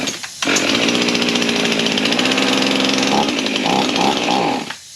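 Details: Husqvarna 55 chainsaw that idles but won't run under throttle, after a carb kit install, on a chilly morning around 40°F: starts, runs rough with wavering revs for a few seconds, then dies. Cause not found.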